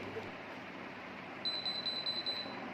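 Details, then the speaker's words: BLDC ceiling fan fitted with an AC/DC kit and synced to the remote: the motor won't run, then gives five high beeps after a minute. The error comes from enamel varnish on the stator's copper winding leads stopping current at the joints. "The reason for this is that The copper winding on the stator is made of insulating enamel or wire on the winding copper. The varnish is applied, which prevents the current from reaching the circuit, and that is why it There is a beep error."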